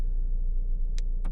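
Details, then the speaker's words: 2017 Fiat, engine running at idle: three sharp clicks in half a second over low rumble as door lock actuator tries to unlock while already unlocked, cycling by itself; RF module failure from water damage, leaking welds suspected. "that sound but it's just randomly doing it there it went again it's the sound of it trying to unlock while it's already unlocked"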